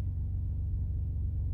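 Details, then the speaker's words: Ford F150 3.5L EcoBoost just after startup, primed by holding the gas down and cranking to build oil pressure: smooth even idle with no cam phaser rattle. "this engine didn't rattle at all"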